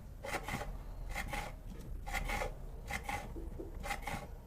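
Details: Cadence range hood exhaust fan that is noisy and not drawing air, turned by hand with the cover off: rasping scrape in paired bursts about once a second. A blade is rubbing on a screw tip, not a shaft problem.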